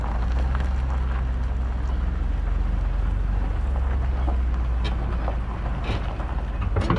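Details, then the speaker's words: Travel trailer weight distribution (equalizer) hitch while towing, in dry conditions, after the loose bottom bolts were tightened to 75 ft-lb: steady road rumble with no creaks, groans or pops. The hitch now runs quiet. "That was a huge improvement. I mean, I know that it's not making a ton of noise because it's not wet, but oh my god, there was like hardly any noise."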